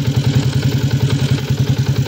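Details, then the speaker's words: 2016 Yamaha Sniper 150, stock tensioner, at idle: fast even light clatter on each firing pulse from cam chain slap due to worn tensioner; earlier quieted by turning adjuster counterclockwise, replacement needed. "Hihiting ko yan, ito yung tunog. So pagbigay na tension na, bigay na yan eh."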